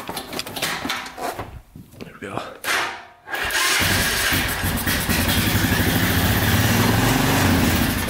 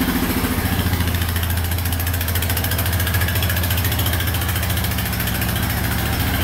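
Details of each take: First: 1999 Honda Foreman 450cc 4x4 ATV with 326 miles, neglected and started with gas poured in: a few cranks, then it revs high, runs loud and unsteady, and dies; fuel supply problem suspected, unconfirmed. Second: 1999 Honda Foreman 450 4x4 ATV, restarted on reserve fuel after a restoration: an even, low single-cylinder thump at a steady idle of about three and a half beats per second, no stumbling. Healthy idle.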